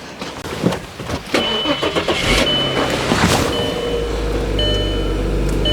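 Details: Audi allroad after a front suspension refresh with new air spring, control arms, bushes, tie rod end and CV joint: clanks of work, then from about four seconds a steady, even low compressor hum as the air suspension lifts the car; healthy.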